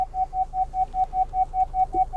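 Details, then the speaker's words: 2022 Honda Civic Touring reversing toward an obstacle behind: quick, evenly spaced mid-pitched beeps, about five a second, from the rear bumper parking sensors, intervals closing as the obstacle nears; normal proximity warning. "so i'm going to kind of back close to this the one behind us here there it is right there and the intervals are going to get closer together so you can hear that beeping that's the back rear bumper sensors"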